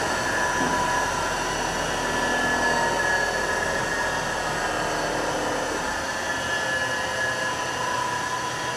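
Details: Scrap-saved single-phase motor (drives an air compressor) running with no load and belts off. Steady even hum, clean constant tone, no rubbing or rattle.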